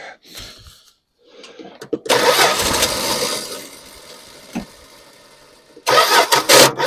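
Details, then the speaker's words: 1974 Dodge Dart Swinger, long sitting, fuel still coming up from tank: broken, uneven cranking bursts with pauses before it finally catches and runs; owner suspects sticking starter Bendix or flywheel missing a tooth, unconfirmed. Extended cranking. "getting closer said it's got a it's been setting a while it's going to take a while to get gas up from the tank so nothing there yet"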